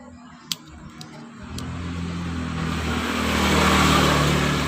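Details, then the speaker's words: Suprafit motorcycle: a used plug that had died from rich-setting carbon fouling has its too-tight gap opened slightly and is refitted. A short ticking crank follows, then the single catches and climbs to a steady, even rev. The engine starts on the revived plug. "Nah seperti itu bisa dibuktikan ya, ini bahwa terbukti busi yang mati awalnya mati dan ternyata masih hidup kembali, masih bisa hidup kembali ya."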